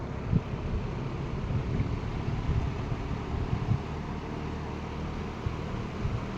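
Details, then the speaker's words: Late-1960s Eskimo 3-speed all-metal box fan on 120 V, medium speed drawing 1.8 A: steady, even whoosh with low hum and no ticking, scraping or grinding; running healthy. "1.8 amp on medium then high speed."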